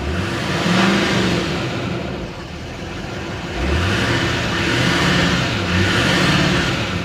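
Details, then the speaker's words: Salvage four-wheel-drive turbo pickup with stock exhaust and front-end damage at a Copart yard, no check lights: clean free-rev blips with a faint turbo whistle rising on each rev; normal revving with turbo spool. "yeah it's got a regular exhaust on it too you can hear that turbo spool up though"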